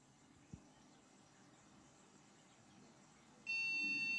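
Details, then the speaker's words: Budget AMD PC build with no display, after swapping the power supply and fitting a new CMOS battery: faint click then a sharp high beep at power-on that persists; owner thought beeps meant BIOS battery, cause unknown. "Ve bip sesi yine çıkıyor."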